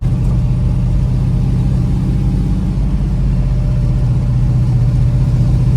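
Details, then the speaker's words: 1971 Dodge Demon 340 V8 at idle after stepping ignition timing down to 38 degrees (aiming for about 35); deep steady burble, no knocks or misses, a little lazy right off idle but otherwise healthy. "It sounds a little lazy right off idle, but otherwise pretty happy."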